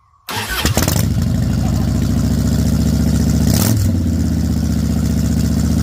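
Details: Salvaged 2000 Harley-Davidson Fat Boy V-twin, after flood restoration from 5 days submerged in Hurricane Ian floodwater: fires up cleanly, even lumpy V-twin beat, crisp throttle blip returning smoothly; finally running and fixed, healthy.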